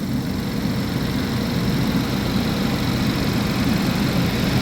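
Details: 2011 GMC Terrain, recurring P0341 cam code after new phaser solenoids and cam sensors; sputters once hot. Cold idle before a test drive to heat it: steady, even low idle, no misses, knocks or ticks; normal.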